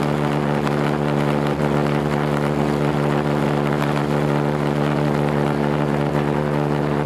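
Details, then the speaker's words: Homemade pulsejet on its third run attempt, with a new ignition circuit (new coil, HT lead, fixed condenser) and a tuned fuel rail: a loud steady buzzing roar at an even pitch, no sputter or dropouts; running cleanly and self-sustaining. "It works. It runs. Yeah, that's exactly it."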